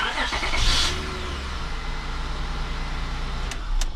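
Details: 2001 Acura MDX after starter replacement and battery terminal cleaning: short crank, catches at once, settles to steady even idle; starts cleanly.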